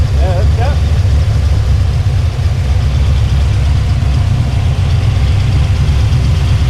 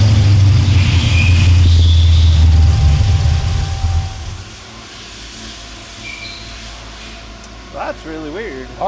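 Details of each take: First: El Camino after a tuning session, restarted and left running: smooth, low, unchanging idle without misses, rattles or squeals; well tuned and healthy. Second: El Camino project with 480 transmission during tuning, after timing set and rev to about 3,000 rpm: strong low note sags and fades as the engine dies; acts fuel-starved, vacuum leak suspected, unconfirmed.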